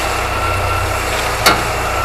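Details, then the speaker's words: Niva idling while the steering wheel is turned fully right; one sharp click as the wheels lift and drop, suspected from the skid plate (underbody protection) but unconfirmed. "защита рук еще вправо до конца да да такое давай иди сам посмотри еще получается как будто она у тебя маленькая но и за колеса что они кроется приподнимается опускается и происходит щелчок"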